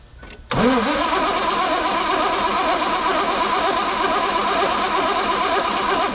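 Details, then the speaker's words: 2001 Mazda B3000 with LS swap, sitting 18 months, old varnish-smelling fuel: steady rhythmic starter cranking for several seconds, never fires; low fuel pressure suspected, owner suspects the in-tank fuel pump; crank no start. "nothing I don't think we're getting enough fuel pressure now what I'm wondering here now is our fuel pump pumping fuel is it moving enough fuel"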